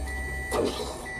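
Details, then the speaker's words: 2006 Subaru WRX at key-on during fuel issue repair; short steady even electric whir of pump priming then stopping, fuel returning to tank; normal fuel pump prime. "I can hear it kicking on. I'm sure you guys should too. So here's how a fuel pump should sound when you turn it on."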